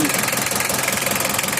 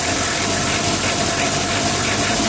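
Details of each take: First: Mitsubishi L300 diesel that is hard to start when hot, stalls on inclines and emits white smoke: clattering idle with an uneven, stumbling pulse. The rough running is being corrected by setting the injection pump timing. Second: 1987 Mitsubishi L300 diesel after a full tune-up: steady, even idle with a soft clatter and no misses or hunting. The old engine sounds smooth and healthy.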